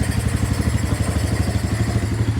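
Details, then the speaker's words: 2015 Polaris Ace 570 single-cylinder after complete rebuild, new cylinder, piston and connecting rod, first start with no air filter; even, steady idle thump, loud at intake but smooth with no knocks. "there we go it's alive there's no air filter on it so it's a little loud"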